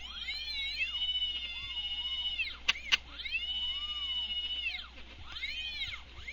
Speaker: As you can hear from the motors, they tend to whine out a bit as they go, and these are bolted to a steel plate, so you'll hear a bit of rattling going on in the background as they resonate when they hit the resonant bands.